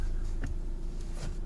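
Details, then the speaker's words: Peugeot 307 sedan after clutch release bearing replacement, pedal pressed: only a low, smooth engine hum with no squish or chirp; clutch now quiet and healthy. "okay you can see the noise is gone no more squishing sound"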